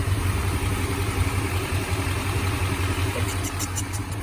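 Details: 1995 Chevy K1500 Silverado with a newly installed 355 TBI V8 at a steady idle. A light, quick ticking keeps time with the engine on the exhaust note; exhaust leak at the header gasket.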